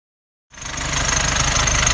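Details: Nissan Navara D40 2.5 dCi diesel at idle: after a half-second of quiet, a quick tinny rattle over the idle that sounded like a dual-mass flywheel rattle; actually a cracked intake manifold.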